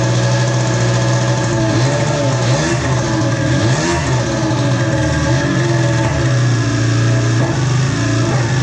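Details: Polaris ProX2 700 two-stroke snowmobile engine, after about twelve start attempts, compression untested: revs rise and sag unevenly, sputtering and hunting over nine seconds; owner suspects bad old fuel.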